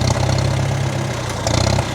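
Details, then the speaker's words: 1947 Farmall M at first start after winter storage on year-old regular pump gas, tank drained and five gallons of fresh fuel added: low, lumpy idle with uneven firing and stumbles; owner suspects water in the fuel. "as you can heal as you can hear it's still running quite rough but"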